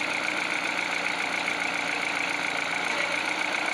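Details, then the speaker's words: Peugeot 308, cold engine: after greasing water pump drive idler with Litol grease (6PK906 belt), cold rattle gone; even steady idle hiss, no ticking; chain and engine healthy. "Я просто немного набил смазку литол синий модуль и трест пропал видите компас не крутится то есть машина холодная"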